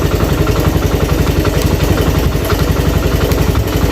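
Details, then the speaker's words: Suzuki Thunder 125 single-cylinder after electrical repair (coil/stator check), engine not rebuilt: steady thump near three beats a second, slightly uneven and harsh; mildly rough idle attributed to the unrepaired engine. "Ini suaranya mesinnya agak kasar sedikit ya, karena kita tidak bongkar mesin ya, tidak memperbaiki mesin. Di sini kita memperbaiki kelistrikan."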